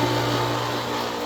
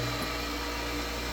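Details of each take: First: Old 7-year-old Century/Pentair 1.5 hp pool pump motor on Hayward pump, rebuilt once with new bearings: loud, buzzy steady hum, not smooth or quiet; start capacitors keep failing. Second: New 1.5 hp Chinese Amazon replacement motor on Hayward pool pump: steady, even hum and constant whir, no knocks, rattles or grinding; fairly quiet, plenty of power, running normally; small leak noted.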